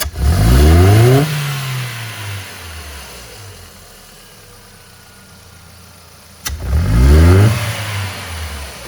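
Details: Ford Fiesta Zetec Rocam with power loss and popping: two quick hard blips climb cleanly and drop back to idle with no popping, stumble or misfire; revs freely, healthy.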